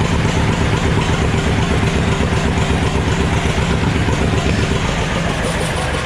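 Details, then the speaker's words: John Deere B, serial 147828, two-cylinder, test run without radiator, exhaust not fitted, good compression; slow steady putt-putt about four beats a second, no misses or knocks; owner thinks it will be a good runner; normal idle. "well i'll tell you i think she's going to be a good runner"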